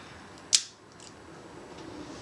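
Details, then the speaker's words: Yashica Electro 35 GSN with solenoid leads shorted, purely mechanical leaf shutter at top speed (about 1/325 to 1/341 s measured): one crisp, sharp snap with no drag or double click; normal shutter operation. "this is a short see how fast the mechanical shutter is without any interruption by the solenoid escapement"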